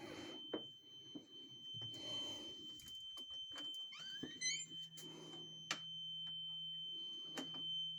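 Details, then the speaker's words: Carbon monoxide alarm going off around 1:45 am, strongest in the hallway and fading in adjoining bedrooms; a steady, piercing high-pitched tone holds unbroken over faint room noise and occasional knocks, source later found as a small box on the floor. "right here is the strongest you step into mom's room or shane's room and it goes away it's coming from outside ugh"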